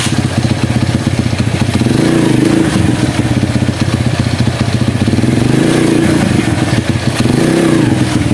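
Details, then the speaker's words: Honda CB100 single-cylinder, long stored, after freeing clutch plates stuck from disuse that made it stall on engaging gear; steady beat through gear engagement, mild rev rises, no stalling, clutch now frees cleanly. "Oke jadi Sudah sembuh Mas Bro ya penyakitnya jadi permasalahannya itu di kopling ya koplingnya memang lengket karena memang sudah sudah lama enggak dipakai"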